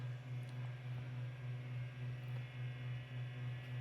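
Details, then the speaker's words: Macintosh II SCSI hard drive tested on a G4 Quicksilver SCSI card under Mac OS 9; steady low spinning hum, no seek chatter, only faint ticks, drive would not mount; owner assumed it dead but suspects something simple. Spins without seeking. "So my G4 would not mount the drive, and I did not hear anything but the platter spinning. No disk reads or anything like that."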